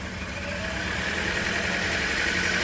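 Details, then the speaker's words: 2008 Toyota Corolla after fuel injector removal and cleaning, engine still missing; held at a steady, fast, high-pitched run with no throttle, far above normal idle even after restart; high idle speed. "PM जो है वह बहुत high है इसका उद्देश्य अभी down होता है कि नहीं बस से बहुत ही तेज है इतना तेज होता तो नहीं है"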